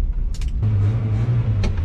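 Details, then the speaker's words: 1977 Datsun 710 from a salvage yard, driving after firing order corrected to 1-3-4-2: smooth, even low rumble with no knocks or stumbles, speedometer clicking and a loose PCV part tapping the engine; normal running while driving. "i can hear the speedometer clicking and uh i know part of the pvc bull crap whatever is actually sitting there bouncing and tapping on the engine too which makes a noise"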